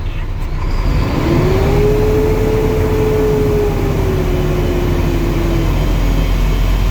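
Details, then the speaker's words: Truck at idle during CDL in-cab air brake check, brakes engaged, building air pressure to 120 psi: steady rising hum as pressure builds, then levels off; governor cut-out working, normal air compressor. "governor is working good."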